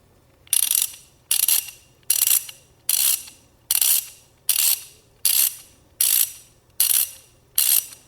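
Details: Old socket ratchet wrench before cleaning and greasing, about 97.5 dB: sharp, high rasping clicks in even bursts, quickly fading; pawl running dry, no grease.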